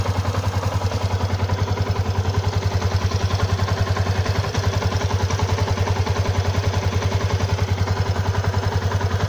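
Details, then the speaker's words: Stock Yamaha Exciter 150, 8,147 km, coolant unchanged for half a year: single-cylinder idle with very even quick clatter; owner unsure whether tappets or clutch. "Bạn cho mình ý kiến kêu cò hay là giọng nồi to lớn."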